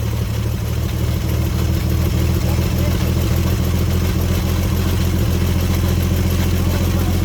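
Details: 1954 Chevrolet 150 after sitting, running on a jumpered coil: even, steady idle with a low smooth rumble, no misses, stumbles or knocks; the engine now runs properly.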